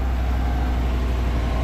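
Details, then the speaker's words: 2024 Chevrolet Silverado, 6,300 on the clock, first start of the auction truck after it rolled over. Deep, even idle with no knocks or misses. Heavy smoke, likely oil in the cylinders from being upside down. Sounds pretty good: normal idle. "Smoking like crazy, but sounds pretty good. But it probably had a little bit of oil in the cylinders from rolling over."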